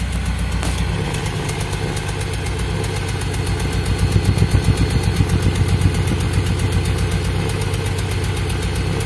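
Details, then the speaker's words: Toyota Soluna idling and revved, heard at the exhaust: uneven limping blub-blub puffs and stumbling (brebet, pincang) from a misfire. The title names replacing the spark plug wires as the fix; the wires are checked by pulling them one at a time. "oke suaranya itu e blub blub blub kayak apa ya kayak pincang gitu ya Ini untuk suara knalpotnya juga"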